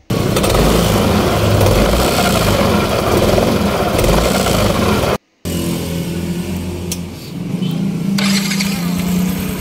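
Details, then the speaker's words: 2015 Yamaha Nmax scooter: loose uneven rattle from the noisy CVT, traced to a worn, sloppy roller housing and sliders. "Oke dan setelah kita bongkar ternyata permasalahannya ada di bagian sini guys ya jadi rumah lolernya di sudah kena ya sudah oblak"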